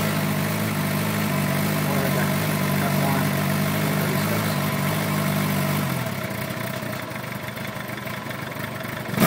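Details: 2008 Suzuki GSX-R 750, hot after sitting an hour following a 2.5-hour ride, around 129–131°: uneven wavering idle held with throttle blips, then sagging and nearly dying; rough idle that smoothed out by itself after about four minutes.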